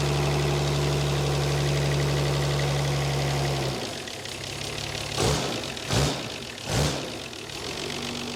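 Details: Nissan Patrol TD42 diesel, sat for years without oil, turns freely by hand, started on a jerry can of diesel and jump pack: steady even diesel clatter with firm low hum, then shutdown thumps; runs fine before reseal.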